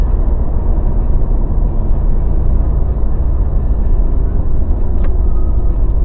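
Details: Mazda BT50 pickup after fixing a clunking, grinding, cracking noise that began after a shop replaced driveshaft cross joints and the center bearing. Steady low road rumble while driving, with no clunks or grinding over bumps.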